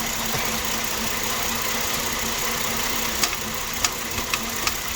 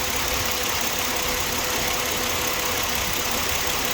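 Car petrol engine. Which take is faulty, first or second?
first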